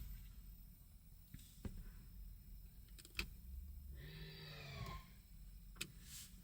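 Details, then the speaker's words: 2008 Mercedes-Benz S550 electric parking brake after repair, resealing and scanner reset, on a lift, heard in the cabin. Quiet, then about a second of steady motor whirr pulling the cables before a clean stop; engages properly, no malfunction shown. "it perfectly went ahead the motor pulled on the cables and finally and first time ever I don't have a malfunction and the Red symbol for the park is displayed"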